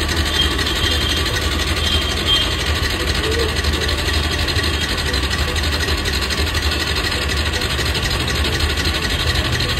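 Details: Yamaha R15 motorcycle after fuel pump problem, fuel pipe connector refitted and tank topped up with petrol: steady, slightly uneven low putter holds with no knocks or misses; the bike idles normally once started.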